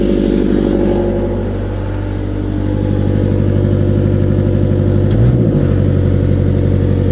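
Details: Cat 277B with 3044C-T diesel held at mid throttle, no load: rough, uneven stumbling beat, puffs smoke; runs fine at idle and full throttle; owner suspects injectors, fears pump; misfire at mid throttle.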